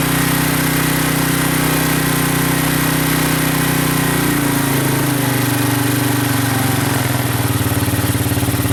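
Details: Honda 200SX field find on carburetor with pressurized external gas tank, choke on, idled down a little, in neutral: small single thumps at a steady even idle, settling slightly lower; normal clean idle, sounds really good.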